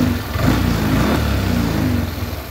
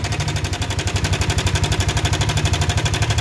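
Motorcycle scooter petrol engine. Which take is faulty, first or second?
second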